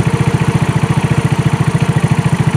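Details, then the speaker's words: 2018 Trailmaster 150 XRX, previously non-running, right after fitting a replacement carburetor: even, quick thumping pulses holding steady with no stumbles; now idling normally, not yet warmed up. "It wants to run. Idle before, now it's idling. That's a big plus."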